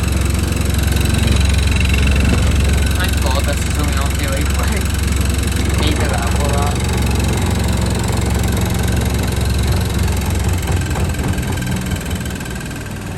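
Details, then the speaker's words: Washing machine on spin in a wooden-floored shed: heavy low rumble with loose rattling and banging; machine is unlevel, shaking the floor, with a light banging against the shed. "Yeah, definitely need to level that. So it's just a bit unlevel, and then obviously with the wooden floors, they all shake, the whole shed shakes."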